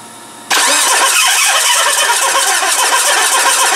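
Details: Mitsubishi RVR 2.0 L petrol with electrical problems: starter spins engine in a steady, hurried whir without firing; injectors spray only a little fuel while cranking; cranks but won't start.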